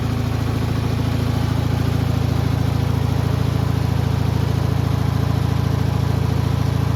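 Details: Bolens HT20 garden tractor, small single-cylinder petrol engine idling steadily after a primer-bulb start, even pulse about three and a half per second, no misses or knocks; runs clean.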